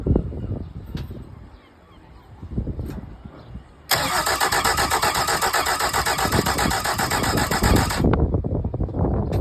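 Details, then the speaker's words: Mercury 75hp four-stroke outboard after reassembly: starter churns rhythmically for about four seconds, never fires, then stops; cranks but won't start. "That'll be a no then. I wonder why."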